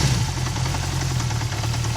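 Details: Recently bought Honda CB350F clunking at idle: low, lumpy idle with repeated dull clunks on each firing pulse, and idle rpm suddenly dropped low; cause unclear.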